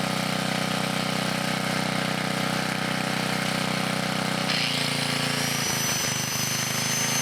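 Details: 1980 Montgomery Wards 2200 W generator, Briggs & Stratton 5HP, after NOS block swap and carb rebuild, run about half an hour under changing loads; steady single-cylinder drone drops in pitch under load and never fully recovers: carburetor and governor issues.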